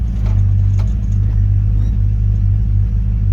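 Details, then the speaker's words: 1955 Chevy truck after installing a CPP frame-mounted Hydroboost, replacing vacuum booster since cam makes too little vacuum: deep rumble during a hard brake stop, no squeal, scrape or grind; good stop, firm pedal. "Slam on the brakes. Nice good stop. So Hydroboost is definitely a winner."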